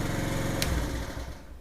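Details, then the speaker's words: Wolf Islander 50cc GY6 Vespa-replica scooter, bought non-running, after repair: quick, even low putter at idle with no knocks or misses; healthy idle. "sounds good sounds healthy so there we go two scooters done today"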